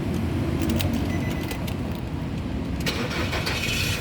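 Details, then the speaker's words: 2011 Nissan Serena 2.0 CT automatic, about 137,000 km, used car being inspected after oil, coolant and leak checks: engine fires immediately with no cranking stumble and runs evenly; normal clean start, a hesitant start could indicate a failing starter motor. "Nah, mobil yang bagus dia nyalanya langsung jreng, jadi tidak tersendat."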